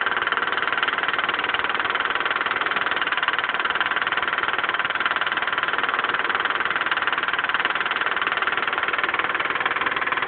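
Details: Mitsubishi 3000GT at idle: a fast, light, even tick about four times a second. Owner suspects a lifter tick, with no oil reaching the left lifter and too much oil at the camshaft end on the right.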